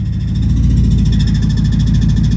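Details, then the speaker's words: 2008 BMW E60 550i V8 automatic after a transmission swap replacing a blown transmission, shifted from park to drive: even, steady low hum with a regular pulse and no clunk, slip or whine. It engages and drives cleanly; a park-not-engaged warning appeared. "And it's driving. All right, so I'm gonna cycle through the gears real quick just to warm up the transmission and then put everything back together and test drive it."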